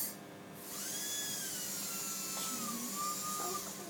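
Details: Steady high whine spins up and holds, drifting slightly with load, with no rattle or stutter: a healthy prophy handpiece on an iM3 dental unit, polishing attachment notched in and secured.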